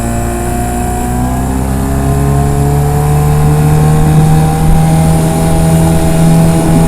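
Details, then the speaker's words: Late-1980s (about 1988) 8 hp Mercury two-stroke outboard with a rebuilt carburetor, on a 10ft Achilles dinghy of about 500lb, run on plane near 16 mph: buzzy pitch climbs without more speed as the prop cavitates and over-revs, limiting top speed. "So speed's in miles per hour, and one thing the boat does do is once it gets up on plane and really gets going, the prop starts to cavitate, gets a bunch of air underneath it, and starts to over rev. So that's limiting top speed."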